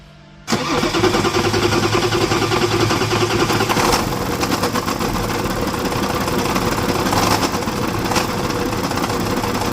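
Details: BMW X5 4.0d N57 diesel cranking, starting and running: rough, hard rapid knock about three to four beats a second; diesel engine knock.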